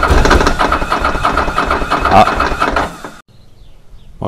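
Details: Ducati Monster 900 twin, first start after a carburetor rebuild by Doc Carbu: firing is steady and even, but it sits at a fast idle well above normal and needs setting down. A small fuel leak was also found at the fuel tap.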